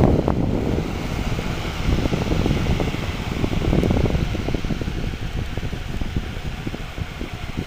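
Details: 1980s Black and Decker heater converted to a fan, heater elements removed: soft even rush of air over low motor hum at steady speed, no rattle or scrape; fan running normally.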